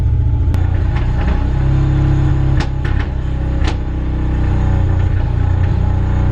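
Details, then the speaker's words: Nissan Cefiro A31 RB20DET, long-stored, low compression on compression and leak-down tests, running in second gear on axle stands after a squirt of starting spray, hoping to free it up: deep, lumpy drone with uneven beats and odd thuds. "So anyway, the crack is I've got a very sick Cef. She's down in compression."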